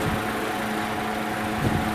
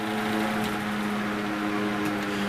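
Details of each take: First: 1970s American-made Superior electric fan with translucent blue plastic blades, freshly cleaned: steady motor hum with a low throbbing wobble at blade rate, a balancing issue molded into the blades; no bearing noise heard. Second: 1970s American-made Superior Electric metal fan with translucent blue plastic blades runs with a steady, even hum and smooth airflow, no grinding, ticking or bearing noise; slight blade imbalance suspected; runs clean and healthy.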